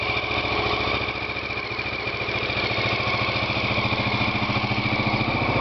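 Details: Honda XL600R single-cylinder engine, first start after rebuild: steady even thump with no knocks, misses or rattles; normal running.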